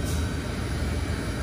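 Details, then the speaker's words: Commercial reach-in freezer running normally with an even low rumble after the buzzing contactor was replaced with a relay; no buzzing or humming. "all right there it is back in action no buzzing no humming"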